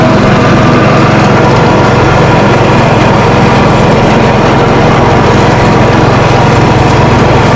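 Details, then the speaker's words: Lawn Ranger riding mower after deck repairs, mowing: loud, even single-cylinder drone with blade whoosh, holding speed with no knocks or squeals; normal running under load. "The old Lawn Ranger mows. Didn't mow too bad, but I mean primarily that's not the reason why I got it going."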